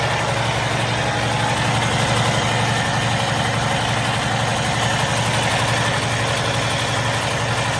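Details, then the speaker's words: 2013 Freightliner Cascadia 125 day cab, Cummins ISX15 425 HP diesel, 621,000 miles: revved, steady even running with smooth low drone, no clicks or tings; normal healthy rev. "Go ahead and give it a rev up here. Let you hear it doesn't have any clicks or tings."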